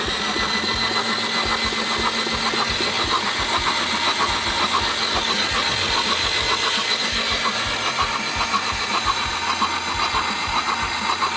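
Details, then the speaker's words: 1998 Subaru Legacy that landed in a marsh, with code P0505 (idle air control) and running rich: cranking with the coil disconnected and plugs out, about two beats a second with hissing spray. Fuel floods out, mostly from the right side; hydrolocked. "we're gonna go ahead and crank it over we've disconnected the coil so won't get any random spark here and we're probably gonna get some gas shooting out of here"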